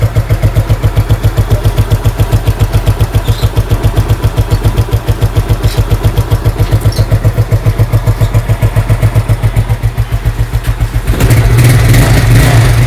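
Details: Scooter (SP 110c) that was hard to start, especially on cold mornings; carburetor cleaned inside and out, plus the air box. After the repair it starts on one press, idles with an even single-cylinder putter, then revs cleanly.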